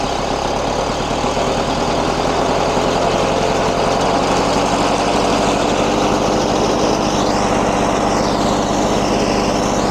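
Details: 1994 Lawn-Boy 10650 commercial walk-behind mower, 6.5 hp two-stroke, air box cover missing: steady, even buzzing beat with no misses or knocks; normal running.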